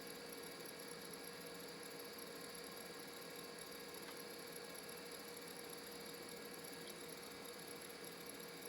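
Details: Western Digital Caviar 170 hard drive spinning up on EZ-Gig adapter under Windows: steady high whine with faint rough grinding edge and occasional ticks over hiss; device not working, drive possibly failing, not confirmed.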